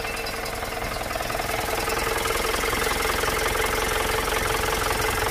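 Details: Diesel just rebuilt with new seals, fuel pump position unchanged, radiator off and filled with plain water: clatter at idle about three to four beats a second, settling into a smooth, even idle.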